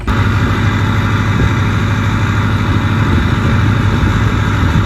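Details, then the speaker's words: 6.0 diesel after installing 155/30 injectors: a smooth, even idle with a steady low rumble and no sharp knocking; it still hazes slightly from the extra fuel but runs healthy. "But it's not pouring out of the hood, and it doesn't have real bad injector knock anymore, so that's good."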